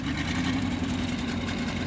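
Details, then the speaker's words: 1974 Ford F600 gasoline dump truck after sitting two years, running on two-year-old gas, smokes a little; even, low idle with smooth steady beat and no tapping: normal idle. "I know it smokes a little bit but heck it's almost unempty in two years twoyear old gas sucker is running pretty good running really [Music] good"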